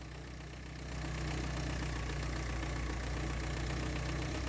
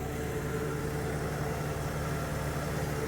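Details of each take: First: 1983 Porsche 944 with the throttle held open after bad fuel was drained, uneven lumpy beat that picks up after a second; won't idle on its own. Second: 1983 Porsche 944, warm after running 2.5 hours, fitted with new brakes: steady, even idle with a smooth low hum, no knocks or misses, cooling fans about to switch off. Normal idle.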